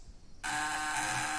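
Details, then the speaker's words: Homemade fish-shocker vibrating contact breaker (platina) under test: a steady, smooth high buzz with no sputter, small spark and no heat; running cleanly and normally. "suaranya halus sangat halus dan juga percikan api juga kecil teman-teman ya percikan api pada Filipina kecil dan pelitian ini tidak panas teman-teman"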